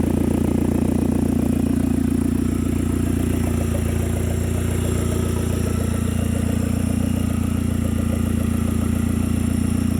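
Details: 2010 Hyundai Genesis Coupe 2.0T, first start after head gasket replacement and new 38k-mile OEM turbo: steady idle with loud open exhaust, exhaust piece not yet fitted; timed correctly, firing well, no misfires.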